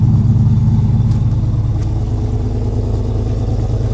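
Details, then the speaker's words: 2007 Chevy Avalanche V8 after AFM/DOD delete and performance cam, with headers and dual exhaust, at cold start on a chilly day: a deep, lumpy, steady idle of about three beats a second, no ticks or knocks, healthy. "it's pretty chilly out here too but it's not cold but it's definitely not summer time but yeah sounds real happy i like it"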